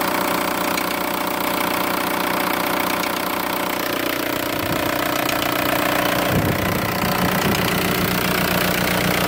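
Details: VW ALH TDI diesel idling with a steady rapid ticking over the clatter after a timing belt job; bent cam lock plate left cam timing about one tooth off; fixed by re-timing cam to crank with correct puller and tools.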